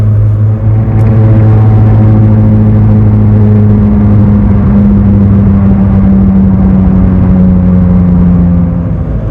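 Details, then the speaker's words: Ford Fiesta Mk5 driving, badly worn rear press-in wheel bearing: loud constant low droning hum, pitch drifting with road speed and drowning out speech; quiet turning left, loud turning right or straight. "probably can't hear me because the wheel bearing is so loud. I'm a little bit embarrassed I've let it get this bad, to be honest with you."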